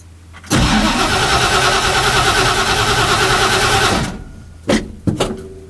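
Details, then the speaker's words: Engine on a cold start after sitting a long time, fresh fuel: catches, runs a few seconds, fades and dies, then two short coughs that won't keep running; throttle linkage needed readjusting. "Aha, there's something I forgot. I gotta readjust the throttle linkage."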